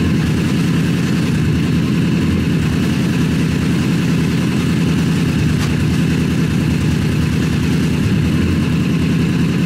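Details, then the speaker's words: Rebuilt Honda CBR 1000 buggy engine after major cylinder damage, just back in the frame. Deep, even rumble at steady idle, regular firing, no knocks or misses; sounds healthy, much better than before the rebuild. "now it sounds like it like it used to ah it's running it's right it sounds healthy it sounds so much better so much better than it did last time"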